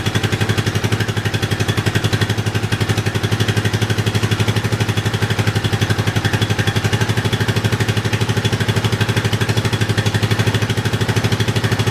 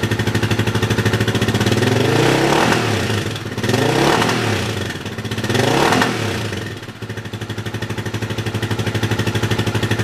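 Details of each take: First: Yamaha 660 single-cylinder after carb re-jetting for a lean condition, tank loosely fitted; even steady idle thump about four beats a second, very little popping, running smoothly. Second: Yamaha 660 single-cylinder after rejetting and needle adjustment for a lean condition, in neutral: single thumps at idle, swells with each blip, slight breakup on the rev; still a touch lean but pretty good.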